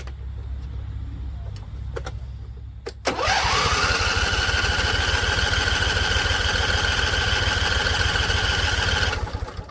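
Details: Husqvarna Z254 mower in neutral, first start after a PTO clutch and pulley install and weeks unused. Slow cranking with a few sharp pops before it settles into a rough, fast idle; owner thinks it is flooded.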